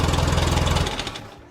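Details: 1990 Ford Thunderbird Super Coupe, stored four years, just started after a new battery fixed its non-crank fault: brief steady low chugging, engine running evenly then fading away; running fine.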